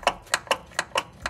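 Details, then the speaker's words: Toyota SC300 during a coilover adjustment: sharp, hollow, unevenly spaced clacks about four times a second with no engine running; a loose, unbolted part rubbing and knocking, likely the noise heard while driving; it needs bolting down. "cuz I keep hearing this while I'm driving and it's rubbing and I couldn't figure out what it was and I think that's it"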